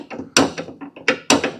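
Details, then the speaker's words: Craftsman Z530 zero-turn mower deck, belt off: sharp clicks when idler pulley is rocked by hand, massive play from wallowed-out idler arm stud and bushing. "And we can grab the pulley and move it back and forth. Hear that clicking? That means that there's play in that bearing for the idler arm."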